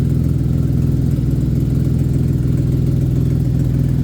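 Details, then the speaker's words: Chevy engine's first start after a rebuild that had sat untouched, fixed by reconnecting a missing extra ground: steady idle with a light, quick tick about three times a second. A valvetrain tick from storage is suspected, not confirmed. "yeah now we sound better still got a little tick but it it just got to do its own thing right now it's a little angry"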